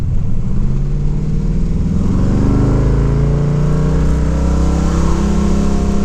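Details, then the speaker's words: LS-swapped third-gen, not yet dyno tuned, 3.23 rear gear (was 2.73), shift kit installed; engine pitch climbs under hard acceleration with no drop where a shift should come; automatic holding gear, owner suspects governor gear after TV cable and linkage checked. "I feel like right there it should be shifting. And it really wasn't."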